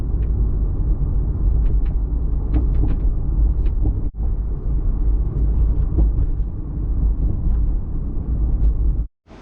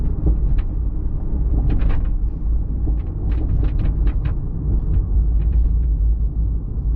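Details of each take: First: Toyota Supra MKIV on test drive after hatch rattle fix, hatch sitting slightly higher: steady low road rumble inside the car with only faint ticks, hatch rattle completely gone. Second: Toyota MKIV Supra driving on the road: irregular light clicks and taps over steady road rumble; rear hatch rattling from worn rubber hatch bumpers.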